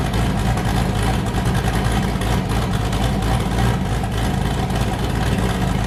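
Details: Boosted V8 with a new cam, just started after a repair; it had earlier made 23 psi and blown a coupler, and the owner feared engine damage. A deep, loping idle with an uneven lumpy chop fires on all eight and holds steady: a normal choppy cam idle.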